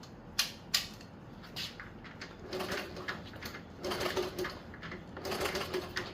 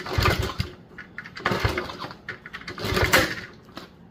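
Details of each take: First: 1977 Honda CT70 sitting 20 years, spark test with plug grounded and key on: repeated clattering cranking bursts with no firing, good compression but no spark; spark plug wire to be checked next. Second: 1977 Honda CT70 sitting 20 years, compression test while kicking over with no spark: strong firm chuff about every second and a half with solid resistance; healthy compression, about 180.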